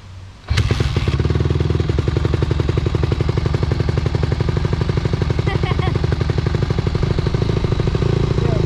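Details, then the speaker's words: 2020 Honda CRF150R big-wheel single-cylinder dirt bike, long sat, after air filter check and adjustments; loud uneven choppy beat at low revs, stumbling rather than pulling cleanly; probably still needs carb clean, cause unconfirmed; low-end stumble. "Probably still needs a carb clean. Celebrated too early."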